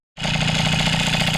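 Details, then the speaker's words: Motobécane AV88 two-stroke moped with Doppler ER1 top end, Doppler head, 15 mm carb, Doppler ER3 variator and ER1 exhaust, just started and idling cold. A buzzing beat carries a light clacking from slightly damaged variator pulley halves. It otherwise runs smoothly. "Donc ce que vous entendez claquer légèrement, c'est les joues du variateur qui sont un petit peu abîmées et qui claquent."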